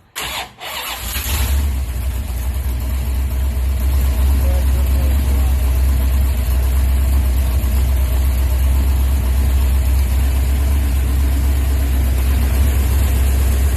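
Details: Car "Project ENRON 64" (Twin J edition) finally starting and running well after timing set to 32 degrees: brief crank, then it catches and settles into a strong, even V8 rumble with no stumbling; normal running.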